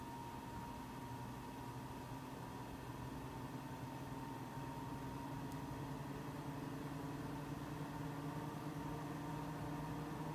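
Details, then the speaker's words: Mac Pro 1,1/2,1 with 48GB using 8GB DIMMs, benchmark starting: steady fan whir whose tone creeps higher, fans reaching about double usual speed though temperatures a few degrees cooler; fans ramping up under load. "the fans are starting to ramp up some they're going about double the speed they're usually going we're ramping up more they're still rampant and the temperatures are still a few degrees cooler"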